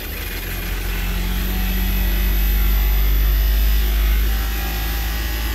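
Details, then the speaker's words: Daikin "Rebel" package VRV inverter compressor starting after main relay engages (667 V DC bus); deep heavy droning rumble swelling and labouring roughly, sounding horrible; compressor judged done, failing. "oh that was horrible it's like this like captain i can't give her any more the whole thing's going to come apart that sounds so bad anyway yeah we could just say that compressor is done"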